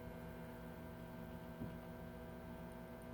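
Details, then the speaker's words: 1942 Zenith 7S685 radio-phono console record player turntable motor on test at 90 volts: low, steady, even hum without wobble, scraping or knocks; motor runs smoothly. "all right we have a good motor it's at 90 volts now turning smooth as"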